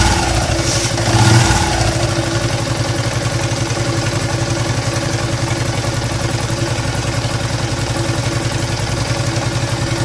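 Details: Yamaha LC135 motorcycle engine idles with a rough, throbbing drone after a quick blip, pointing to a worn crankshaft.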